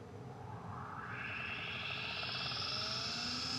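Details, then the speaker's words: Carrier Infinity 98 gas furnace, installed 2014, first startup of the season, variable-speed inducer fan starting before the original hot surface igniter: quiet whirr climbing smoothly in pitch, no scrape or rattle; normal inducer startup. "Inducer fan. That's also variable speed."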